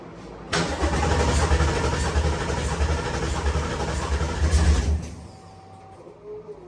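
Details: Coyote V8-swapped Fox-body Mustang, first start attempt after fuel and oil priming: the starter spins the engine at about three beats per second for four seconds and it never fires, because the crankshaft position sensor is unplugged.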